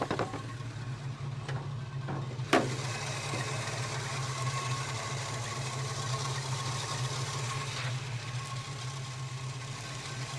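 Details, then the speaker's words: Holden HK after new plugs and timing advanced slightly with no ping, with 63 jets and a 4.5 valve: steady, even low rumble. It idles smoothly and healthily. "I'm actually going to leave it right there I'm really happy with the way it's running at the moment"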